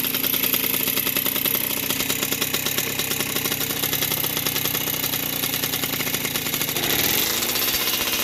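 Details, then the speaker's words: 1981 Yamaha YZ60H two-stroke rescued from the dump, carb cleaned of dirt and spider webs, started with fuel down the carb, warmed up: crisp even buzz at steady idle with a quick rev, some oil from exhaust; normal idle. "Otherwise it starts, it idles nicely and just let it run for a while and clear out all the spider eggs. Got a bit of oil through the exhaust."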